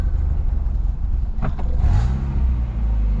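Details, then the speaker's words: Car with discharged battery, started with a rechargeable jump pack using the Boost button: short cranking bursts, then catches on the first try into a steady low rumble; alternator suspected of not charging. "está miren sí lo prendió Wow que poner el el botón Boost se le presiona el botón Boost y lo prendió de un solo"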